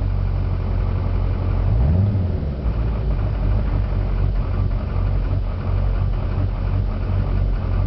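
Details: 2004 GMC Duramax diesel pickup: deep, slightly uneven rough idle with a brief blip of revs; it also idles oddly when decelerating, and the cause is unknown.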